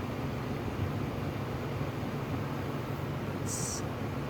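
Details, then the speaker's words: 2025 Vornado 660 air circulator fan, new, just switched on: soft steady whoosh with a low even hum, no rattles or ticks; running smoothly, quieter than other units. "So it seems actually pretty quiet. It seems a lot quieter than the other ones. I don't know what they've done to make it quieter, but it definitely seems a lot quieter."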